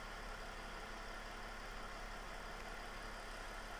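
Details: 2009 Mercedes E320 Bluetec diesel after boost-problem repair (intake cleaned, MAP sensors reconnected), idling during a computer MAP/recirculation test; soft, even clatter and steady hum with no speed hunting; running normally.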